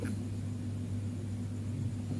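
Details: Fridge compressor GFF57AA (1/6 HP plus or 1/5 HP) with a 1/5 HP overload, replugged for a trip test: a heavy steady hum continues past 1 minute with no cut-out, though it should trip within about 20–44 s; risks burning out the compressor.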